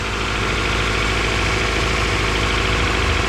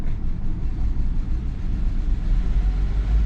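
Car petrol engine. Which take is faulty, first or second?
second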